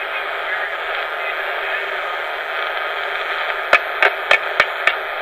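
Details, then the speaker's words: Portable Juliette tape recorder on four C batteries, original crystal mic capsule: steady hiss with no voice, then five dull knocks; microphone dead, only handling thumps record, later replaced with a dynamic capsule. "Yeah, you could hear me slightly there. Unplug this so I don't have to hold the switch. So the mic is dead."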